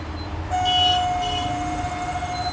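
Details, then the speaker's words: Microwave oven starts and a steady high whining tone sets in, from a worn cooling fan bearing; the cooling fan is repaired. "பாத்தீங்கன்னா இந்த மாதிரி sound வந்துட்டே இருக்குங்க. ஒய்ன்னு சொல்லிட்டு sound வருது."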